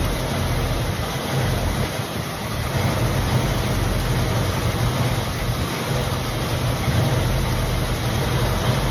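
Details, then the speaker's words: 1965/66 Mustang 289 V8, first start after sitting for decades; good oil pressure, coolant leak at thermostat housing. Deep, steady idle with even low rumble, no knocks, misses or hunting: normal idle, running snappy. "Running really good though. Pretty snappy for a 289."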